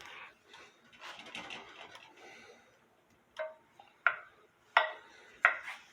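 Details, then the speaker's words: Eli Terry wooden groaner clock, running about 8 hours with beat amplifier on: crisp evenly spaced ticks roughly 88 per minute in a quiet room; the movement is running normally. "Here my Eli Terry clock has been running for about 8 hours now."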